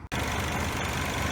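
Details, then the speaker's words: 2012 Chevy Malibu 2.4 just after the starter was replaced; a loose connection at first made starting hard. The engine fires right up and holds a steady, even hum with no misses, ticks or grinding. Normal idle after the repair. "It's running. We had a hard time because this is so loose that every time I try to turn it on, it doesn't get a good connection."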